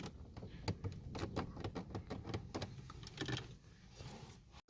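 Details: Renault Symbol seat belt and trim rattle after Würth silicone spray: irregular dry clicks and light clunks, several a second, then fading; rattle still present, spray had little effect, cause unclear.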